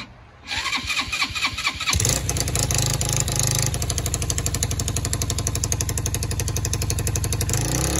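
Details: Free quad being revived, spark confirmed and starter solenoid jumped: a few quick cranking chugs, then it catches into a fast, steady single-cylinder idle that keeps running.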